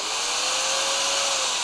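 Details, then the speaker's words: Bosch GBM320 corded drill, well-used on glass and stainless work, test run after repair and reassembly: smooth, even high hum with steady whine, no roughness; burning smell gone, slight sparking normal, motor running normally. "ฮะปกติแล้วนะครับตอนนี้ไม่มีกลิ่นแล้วนะ"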